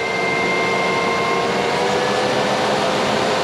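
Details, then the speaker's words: Roof electric fan in a Hymer 560 4x4 motorhome at maximum speed: loud, steady rush of air with a thin constant whine; normal operation, just somewhat noisy flat out. "Väsnas lite grann tycker jag på maxfart."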